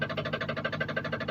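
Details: 2014 Jeep Grand Cherokee SRT8 6.4 L 392 Hemi, apparently previously rebuilt engine, running with vehicle suspended, camera under the oil pan: sharp even knocking about eight times a second over idle from low in the block; crankshaft counterweight striking a piston skirt.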